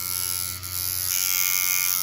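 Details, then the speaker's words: Steeldriver rotary tattoo machine with a 14 round liner cartridge, running on skin: even high-pitched buzz dipping briefly under load then recovering; normal running. "Just something that I had laying around the workshop, but you can hear that this machine responds to the skin."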